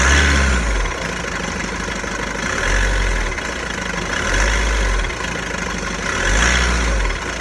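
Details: VW Golf 1.6 TDI diesel, 90,000 km, idling with a low, uneven rattle that swells and fades every second or two; owner suspects the dual-mass flywheel, not confirmed.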